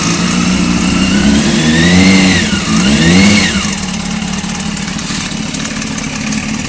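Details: Just-bought Honda CBR600 F3: quick blips rise and fall, then the idle settles with a fast metallic rattle over the four-cylinder hum, a top-end noise; owner suspects the cam chain tensioner, unconfirmed.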